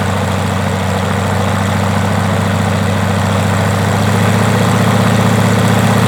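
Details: First start of a 110 hp Rotec R2800 radial, a new engine about six years old and never started before, on an Aerolab LoCamp reassembled after long-term storage; an even, lumpy idle at about three pulses a second with no misses or knocks, sounding healthy.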